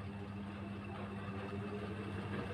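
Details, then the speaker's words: Single-tub washing machine after adjusting gearbox release bolts to open the gearbox spring: even low motor hum building steadily as the tub spins up together with the pulsator, now heavy to turn, no scraping or knocking; spin working normally. "ini sudah berat ini sudah berputar dengan e tabung pinggirnya karena ini sudah berat"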